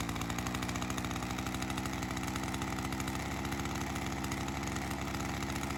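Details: Ryobi CS30 two-stroke string trimmer, HiPA aftermarket carburetor weeks after install, slightly readjusted after settling in, ethanol fuel sitting in it: steady even burbling idle, no hunting or misfire; holding up. Normal idle.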